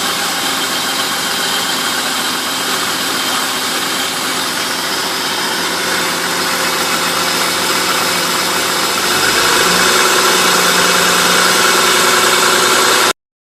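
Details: '95 BMW E36 325is M50, warm idle below ~1000 rpm: a fast, dry teeth-chattering rattle, roughly three or four a second, over a bright engine hiss, heard only after warming up; source not identified, owner wonders about VANOS.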